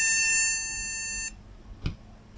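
A long high-pitched beep, a short silence, then the beep starts again: the board's memory error code, no RAM fitted.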